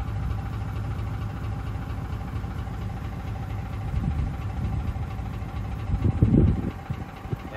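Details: Ford 5.4L 3V Triton: steady idle with a light, quick rattling tick over the low engine rumble; sloppy cam phaser locking pin knock, distinct from phaser oscillation heard accelerating past 900–1200 rpm.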